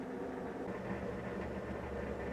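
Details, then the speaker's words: Maytag Neptune front-loader washer, empty tub, after repair of its circuit board and a new door lock wax motor: steady low motor hum and building drum rumble as it ramps up to high-rpm spin, which previously stalled at slow spins. "she goes yeah she goes she's rockin now really high rpm yes oh yeah that is music to my ears"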